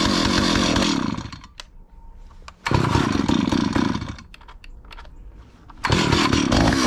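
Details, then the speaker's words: Stihl 028 Wood Boss chainsaw, 43 years old, after cleaning a gummed-up carburetor: fast, rattly two-stroke idle that sags and nearly dies twice before picking back up while the idle speed is turned up; the engine stalls at idle. "so I'm turning up the idle speed to try to keep it running"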